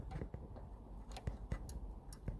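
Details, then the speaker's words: 2007 Audi A4 convertible 1.8 turbo: faint, uneven clicks as the roof latch trip switch is pressed by hand. The dash roof light goes off when held and flashes when released. Cause suspected, not confirmed. "there so if you can hear that clicking now if I keep that shut you can see on the dash the light has gone off"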